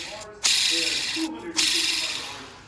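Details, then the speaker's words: Removed clutch throwout bearing from an Acura K24 with an EP3 clutch, spun by hand: a harsh, gritty rasping whirr that fades as it slows; the worn bearing had grooved the pressure plate. "the pressure plate where the throttle bearing was resting and then the actual throw bearing itself super noisy"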